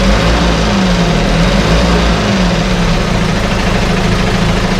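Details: 1968 Evinrude Fastwin outboard, bought and only set in a test tank with no repairs, out of gear with no load: deep, steady idle burble with no misses, coughs or rattles; no cold-start cough, runs better each start as Sea Foam in the fuel cleans it. Normal idle.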